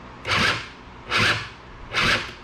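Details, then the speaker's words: Honda Spree 2-stroke scooter (probably 1984 engine) with a new starter fitted: three labored, grinding crank attempts, never catching, same as the old starter. Something is bound up; suspected drive pulley or bendix not meshing with the starter, chewed bendix teeth. "so something's too tight in there it's just not turning so now i'm thinking that something's bound up here with either the drive pulley or the bendix or the way the starters matching up with the bendix"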